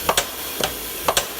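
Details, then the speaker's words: Old double-ended Haskel gas booster after its shuttle valve was cleaned and rebuilt, driven by about 12 psi of dry air: sharp paired hissing exhaust bursts about twice a second with quiet between, cycling smoothly and regularly. "Well, that's nice. Listen to that baby purr. Impressive thing is that this is about 12 psi of dry air."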